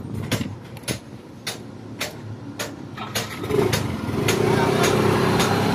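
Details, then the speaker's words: Honda TMX125 Alpha kick-start motorcycle with weak spark and a no-start: repeated kicks with sharp clicks, never fires. Wiring, ground and CDI tested good and the CDI socket was cleaned for corrosion; the ignition coil was faulty and was replaced with a new universal coil. "guys na-testing ko na lahat ngayon par may problema sa kanya yung ignition coil ta-try natin palitan muna ng ignition na bago ito siya universal"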